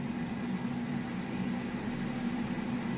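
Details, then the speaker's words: Ninja AF400EU Foodi Max air fryer started air frying in both trays at 200 degrees, 20 minutes: steady even fan-like whoosh with low hum, not very noisy, no knocks or scraping; running normally. "And this is the sound it makes. It's like a fan. It's not very noisy,"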